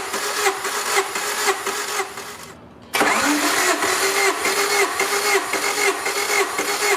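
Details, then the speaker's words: Supercharged EF Honda Civic, hot engine, all 4 spark plugs out, throttle wide open, compression test cranking 10–12 times per cylinder. Even whirring crank, brief pause, steady cranking again, no knocks; cylinders 1 and 4 about 173–175. "And I'll usually crank it like 10 to 12 times before I come out and check the compression. Then move to the cylinders 2, 3, and 4."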